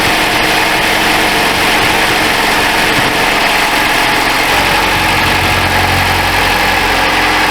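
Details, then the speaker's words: 2012 Chrysler 200, cold start; complaint is exhaust noise and odour first thing in the morning that fade after a minute, with a suspected leaking manifold gasket or cracked manifold. Steady, quiet, even idle with the air pump whirring and no puffing or ticking; normal cold-start idle. "Okay, let's start it up and then we'll finish off what we were saying. Contact. Well, she sounds pretty quiet."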